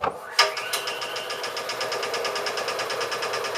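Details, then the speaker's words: Air compressor starting: click, then motor spins up straight into steady rhythmic pumping chatter; starts normally, owner concludes about 40 psi left in the tank stopped it starting. "Amazing! Amazing! That's all it took. So I guess if it does have 40 pounds of air in the tank, it will cause it to not start."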